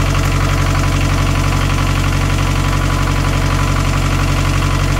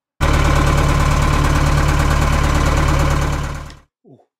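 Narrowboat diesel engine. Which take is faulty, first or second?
second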